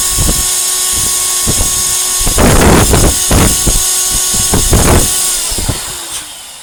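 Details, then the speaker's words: 1949 Electrix blower/paint sprayer after restoration, running with hose on: steady high motor whine with hissing and rasping, flapping bursts as air escapes past the rubber seal at the hose outlet; tape failed to stop it. "You can also hear it blowing raspberries, and I tried to amend that with this tape, but it hasn't worked. It's blowing past this seal."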